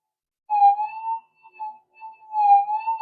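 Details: SD2000 metal detector with a re-engineered power supply, bench-tested with a small 0.05 piece at the coil: two smooth mid-pitch warbling tones rise and fall over a quiet threshold, a clean, healthy response.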